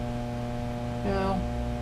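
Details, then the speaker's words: Fender Blues Deluxe tube amp before repair: a constant low hum present regardless of control settings, with tremolo-like modulation and low volume. High voltage is 380 V, about 60 V below the expected 440. Failing filter capacitors suspected. "this does not have the high volume hum if you notice you'll hear a hum there doesn't matter where the controls are anything else it'll still be there"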